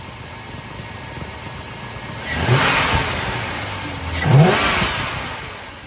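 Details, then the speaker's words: 1999–2006 Chevrolet Silverado just after an Airaid cold air intake install, with the mass airflow sensor pushed back to seat fully. Clean idle with two crisp throttle blips rising and falling smoothly, no misses or rattles; normal revving, sounds pretty good. "Yeah, that sounds pretty good."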